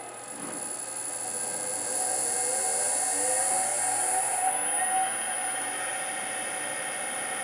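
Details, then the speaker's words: Land Rover LT230 transfer case test bench motor run on 220V through an inverter speed controller, at low speed: high steady electric whine climbing smoothly, no knocks or grinding; running fine. "so let's let's put it on the lower speed and start it up and here we go look at that"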